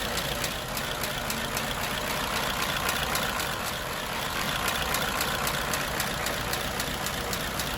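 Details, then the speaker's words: 1934 Ford Model BB dually truck, 89-year-old flathead V8, after adding an electric priming fuel pump for hard starting: steady even idle, soft regular patter, no misses or knocks; normal healthy idle. "there you go all hooked up and running sweet"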